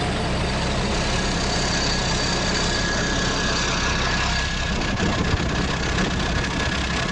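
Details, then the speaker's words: Freshly rebuilt, turbocharged old engine after painting and assembly, idling smoothly and evenly with a steady diesel rumble, no shaking, knocks or misses; oil pressure good, almost eight atmospheres at maximum (relief valve 7.5–8); slight oil drip from turbo impeller. "It runs smoothly, idles evenly, and doesn't shake. The pressure is good, almost eight atmospheres at maximum."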